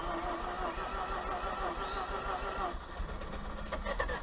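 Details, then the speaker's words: 2004 Mazda RX8 with a blown rotary engine, parked for lack of compression. Oil and coolant checked, then the starter cranks it. Quiet, fast, even cranking with no rhythmic compression pulses. The rotor turns freely with no compression. "but i am feeling no compression like whatsoever so it's going to be interesting to see this thing start i mean that's why it's parked because of lack of compression"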